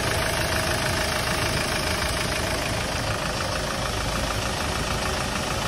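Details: Hyundai Starex D4CB diesel idling during a check for suspected blow-by: steady clatter with an even rhythm, no heavy knock or misfire; no smoke from the dipstick tube or breather, so the engine idles healthily.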